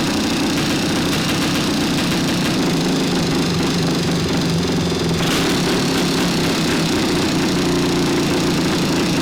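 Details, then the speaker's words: Barn-find 1975 Yamaha DT400B 400cc two-stroke running after decades stored, with a metallic ringing rattle of piston slap in the top of the cylinder head; compression good, rebore and crank rebuild planned. "Sounds just like a DT400, got a lot of piston slap. You can hear it ringing in the top of the cylinder head, so I think although the compression's good, we'll definitely give it a rebore, definitely rebuild the crank, and I'm good to go now."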